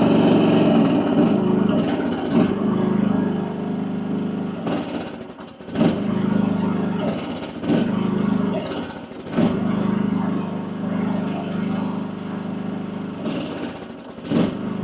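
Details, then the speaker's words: AGT WH12R 1-ton mini excavator diesel, relief backed off half a turn from about 3000 PSI, bucket working; drone repeatedly drops and recovers, nearly stalling: relief pressure too high for the engine, owner backs off further to 2600 PSI. "It just keeps wanting to die. So, uh, I think what I'm going to do is I'm going to back it off a little bit more."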